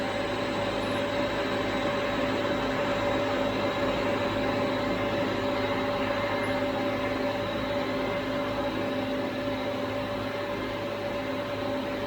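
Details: 75 hp well pump motor after the destroyed pump/motor coupling was repaired, during vibration-switch testing: steady, even, constant mid-pitched hum with no knocking or grinding; running smoothly.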